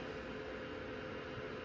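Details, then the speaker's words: Old iMac after swapping failed internal HDD for SSD: loud steady rushing whoosh with faint constant tone, fan stuck at full speed because the drive temperature sensor is missing; owner installs Macs Fan Control to tame it. "That noise is loud enough that I think I'm going to go into, let's see, Mac fans. Control."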